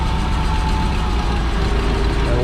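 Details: Yale GLP060VX forklift, PSI 2.4L CNG engine, reported running rough: low steady idle with uneven, stumbling beat and occasional dropped pulses; misfire most clear at idle.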